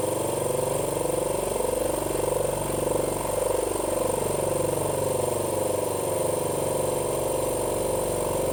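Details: Cleaned 50 L twin dry air compressor on test run: rapid, even chugging pulses with a steady pumping rhythm, no knocking or squeal, normal running.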